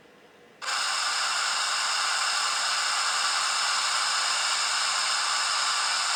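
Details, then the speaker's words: Compaq Armada 7770DMT laptop on Windows 98 gives only a flat, even hiss of static from its speaker; modem board was replaced, and the culprit was a small fault, believed caused by the broken ribbon cable replaced months earlier. "hear that nothing but static now this sound issue it's been quite i went down the rabbit hole with this and i wish i didn't"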